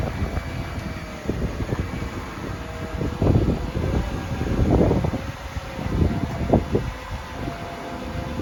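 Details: Mercedes CLK55 AMG M113 V8, first start after oil leak repair with coil packs, injectors and airbox refitted: deep, steady rumble with gusty swells and no knocking or ticking; normal idle.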